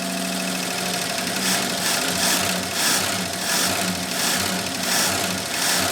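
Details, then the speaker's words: AMC Rebel SST, first run after sitting 35 years, fan belt thrown, revving; loud tappety clatter with a gentle surge about every second; owner calls it very noisy and thinks it could use a little more timing. "Oh, it revs though. What about that? Oh, what? No. Not again. Just slowly becoming a nightmare. Slowly but surely. There it is. All right. Very noisy."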